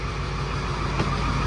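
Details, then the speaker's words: 2002 Ford F250, 7.3 diesel at idle: steady rumble with an uneven, lumpy beat, felt in the steering wheel, starts easily, heavy smoke haze; a miss, one cylinder dropping out. "But you probably can't tell it. You can feel it in the steering wheel. It's got a miss."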